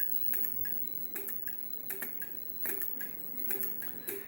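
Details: 1HP three-phase motor driven by VFD on homemade 12VDC DC-DC supply, MOSFETs overheating: faint uneven ticking about twice a second with no steady motor hum; drive struggling, likely hot MOSFETs not delivering power.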